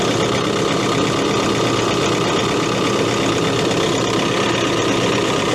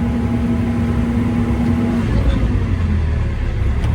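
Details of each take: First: Case CX80 excavator diesel, throttle set to idle: a steady, even drone with no knocking, surging or hunting; a healthy idle. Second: Case CX80 excavator diesel: the drone sags and the whine drops away under hydraulic load and never recovers, getting worse at higher throttle; revs return to normal when the function is released. No apparent cause yet.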